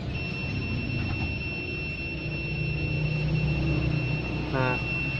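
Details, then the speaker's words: Multimeter continuity test on the battery line of a dead OPPO F1S phone gives an unbroken high steady beep on both positive and negative sides: the battery line is shorted to ground, a total short circuit. "berbunyi seperti ini, berarti pasti terjadi korsleting total, teman-teman."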